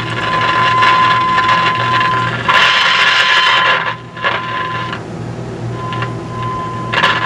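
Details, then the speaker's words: Philco 50-920 tube radio with a signal generator injecting a 455 kHz IF signal. A steady tone carries irregular frying, crackling hiss bursts. Moving the tubes doesn't change it, so bad capacitors inside the IF cans are suspected. "but that noise isn't good something tells me that there's bad capacitors inside the iaf cans because that's usually the only thing that causes this kind of frying"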